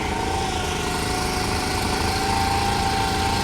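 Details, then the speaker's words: Honda Monkey Z50J small single, new battery, cold start first try on choke and reserve: steady even putter about four beats a second with faint constant whistle; warming up, healthy. "and it's starting to warm up."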